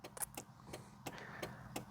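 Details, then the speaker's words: 1.6 HL Austin Montego estate, seven-seat version, in the cabin: crisp, even tick-tock clicks about three per second with no engine underneath, the caravan light flashing along with the indicators; healthy indicator relay ticking normally. "Proper indicator noise."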